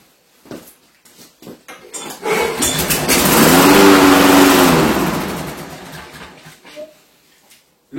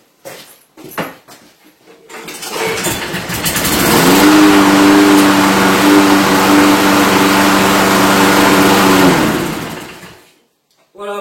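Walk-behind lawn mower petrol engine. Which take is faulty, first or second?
first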